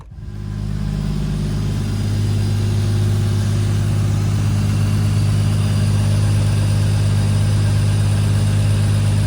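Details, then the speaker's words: 1995 Toyota Supra, right-hand drive, 2JZ-GTE swap with big single BorgWarner turbo, at idle: deep, steady low rumble with no misses, knocks or ticks; healthy normal idle. "As you can see, the car is running and driving perfectly. It idles great. It sounds healthy."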